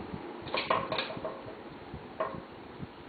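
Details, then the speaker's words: Hunter Comfort Breeze 52" ceiling fan: faint fan hum with irregular clinks and rattles from the light kit, which is held on by two screws and rocks back and forth perpendicular to them. "sound you're hearing is the light kit. That's one thing I don't like about this system where they screw on with the 2 screws. It rocks back and forth, perpendicular to the screws."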